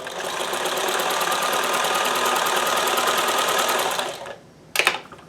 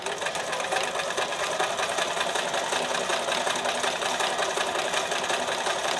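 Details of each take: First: Sewing machine being diagnosed for dropped stitches, on fresh double-layer fabric after raising foot pressure: even quick needle chatter for about four seconds, no skipped beats; stitching normally. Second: Sewing machine being diagnosed at thread tension 5: fast steady chatter about 160 stitches a minute, fairly even, but still dropping an occasional stitch at the end; skipped stitches from thread tension, much improved.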